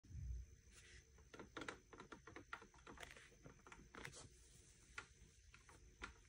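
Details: Brand-new Haworth Fern office chair, cheapest black plastic quick-shipping EU version: irregular creaks, clicks and squeaks as the plastic armrests are rocked, noisy and wobbly; metal-frame coloured versions are nearly silent.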